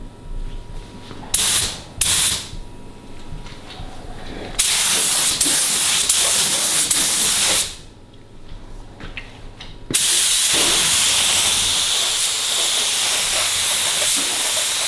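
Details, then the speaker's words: Spray gun laying base coat on a Honda Civic EG hatch: air hiss cuts out and returns in uneven bursts instead of a steady flow, so the gun sputters and sprays inconsistently. "it's spraying so inconsistent exactly it's like stopping going stopping down"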